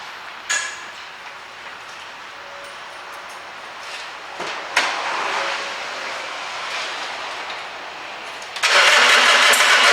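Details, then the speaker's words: 2006 Nissan Navara diesel that spluttered, went bang and stopped. A dry, labouring crank barely catches, then runs flat and won't rev even at full throttle. Water in the diesel is suspected, getting in over time; injectors were blamed elsewhere but are doubted. "I wasn't expected it to actually start but it kind of started as you can hear there but that was my foot fully to the floor and it wouldn't rev up what I think has happened I think water's got in the system"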